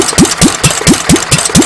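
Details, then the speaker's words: Petter A1 stationary engine running, timing just set: sharp exhaust beats about four a second that bunch up and drift, governor hunting; not running smoothly, partly blamed on a poor HT lead. "here we are with the engine running you can probably hear it's not running terribly smoothly there's a couple of reasons for this one I've got a bit of a rubbish HT lead on it"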